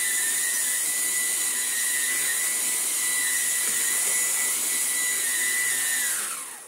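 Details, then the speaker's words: Vax Blade 4 stick vacuum being restored: a steady, high-pitched motor whine with a strained, choked tone, then it spins down; the filter is still badly clogged and restricting airflow, though suction works well. "that works really really well I mean like I say the filter is still really clogged"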